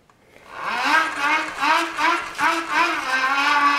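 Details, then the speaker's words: Homemade pedal generator with a Unite MY1016Z3 24V 350W motor, 24/9 gearing, about 80 rpm, feeding a 400W inverter with a 60W lamp added, probably about 80–85 W: whine rises and falls with each pedal stroke; motor whine under load. "you can hear the motor. Motor's whining a little bit more, meaning that much more power is needed, and I can definitely feel resistance on this right now to keep this up."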